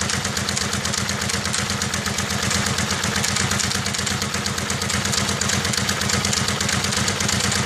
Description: Just a ticking noise coming from the bike when starting cold. Not quite sure it's the ACCT.